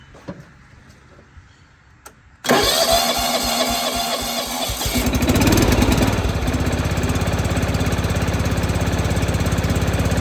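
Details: John Deere 165 Hydro with sporadic spark, after replacing the ignitor chip and ignition coil, oil full: quiet, then a starter whir; the small single catches and settles into a steady, even idle with a firm low thump. Normal start and idle.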